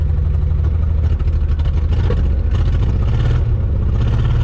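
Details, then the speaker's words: Ford Bronco II, long unrun, just after repair with new parts: engine catches and runs lumpy and uneven with a stumbling miss; owner suspects air still in the fuel system; misfire, cause not confirmed. "It hasn't been running in quite a while, so we'll let it run here for a little bit. It is missing, but it is running."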